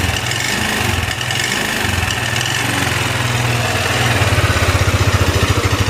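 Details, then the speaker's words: Yamaha NMAX scooter idling with severe, rapid metallic tek-tek ticking over the thump, tested with the front pulley only, before opening the CVT. Mechanic checks rocker versus cylinder block; the piston and cylinder are scored. "untuk ngeleteknya ini apa dari pelatuk apa dari blok seharnya pistonnya udah mengalami luka gitu ya kita nyalain dulu Nah untuk Suaranya kayak gini bang tuh parah"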